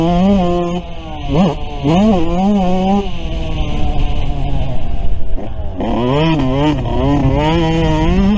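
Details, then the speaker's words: Yamaha YZ125 two-stroke after a head mod (0.035" squish, near-stock compression), riding on a humid day: revving hard, strong but soft and burbly because it is running rich. The main jet was later lowered to a 430. "She's running strong, just running rich."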